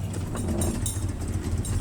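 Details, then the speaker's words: VW Jetta with EPC light and codes P1579, P1545, P1558, recorded before the fix. At idle the rpm surges up and down and the engine misfires with a deep, uneven throb and heavy vibration. The scanner reported the throttle not aligned and basic settings not completed; rough, unstable idle. "Seriously vibrating. Let me show you the engine. And yesterday there was a funny, you can see how it's vibrating, so it's really terrible."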